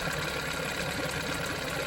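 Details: 1987 Johnson 9.9 two-stroke outboard at idle after the water pump impeller was replaced (the old one had a broken vane): a steady, even putter with the usual rattle and no misses or knocks. It is running healthy.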